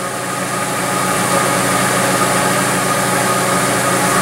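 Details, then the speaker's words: Engine at idle checked with a homemade pressure impulse sensor on a Picoscope, with a smooth, steady beat and even exhaust pulses across all cylinders; normal idle, no misfire. "so as you can see right now it's fairly okay okay fairly even across the board as far as the exhaust pulses"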